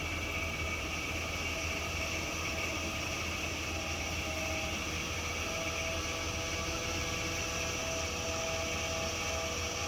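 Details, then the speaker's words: Power steering pump whining loudly and steadily over the engine while the wheel is turned to full lock, stopping when turning stops; owner says air in the power steering system causes the whine. "and do you hear that loud winding noise so if you stop real quick then the winding noise will stop that's my powered steering pump that's trying super hard to oh it's making that noise because there's air in it"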